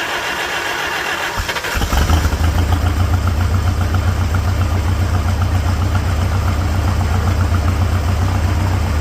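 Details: 1946 International Harvester Farmall H, first start after a pushrod repair and cleaning; after a brief crank it settles into an even, steady low putter with no knocks. Normal idle.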